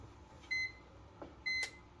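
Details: CyberPower 1500VA UPS (CP1500AVR/CP1500C) switched on after battery replacement: two short high beeps about a second apart in a quiet room, the normal power-on signal, now showing battery capacity.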